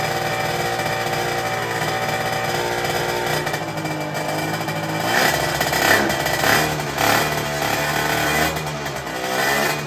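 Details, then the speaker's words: Derbi 50cc two-stroke after new cylinder, carburettor change and exhaust leak fix: crisp buzzing idle and clean revs, much less rattling than before; normal running. "on entend que la moto tourne beaucoup mieux elle fait beaucoup moins un bruit de casserole et ça c'est vraiment top"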